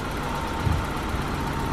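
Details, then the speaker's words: BMW E30 six-cylinder petrol, unstarted for 5+ years, came back to life after a few more cranks. Low, fairly steady idle rumble with slight unevenness; normal idle. "I guess all I needed was a few more cranks and uh whatever it was that wasn't starting it came back to life so that's not bad"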